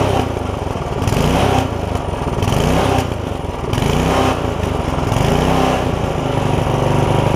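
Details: Barn-find tiller, bought 17 years ago and never used, on its first run after its seized linkage was freed with lube; oil full. Small single-cylinder engine runs unevenly, the beat surging and sagging every second or so; slight stumble, likely fuel-related.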